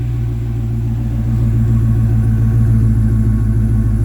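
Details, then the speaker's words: Brand-new 430hp LS3 V8 in a 1985 Toyota Land Cruiser FJ60 idling through a catalyst, 2.5-inch Y-pipe, Flowmaster 70 series 2-in-1 muffler and 3-inch outlet: deep, even rumble, no misses or ticks, moderately quiet. Normal idle exhaust. "You can sort of hear the exhaust here. That's a Flowmaster 70 series muffler. It's a 2-in-1, so we went to 2.5 inch Y pipe into the single muffler with a 3-inch outlet on it. So kind of a nice rumble, but not too loud."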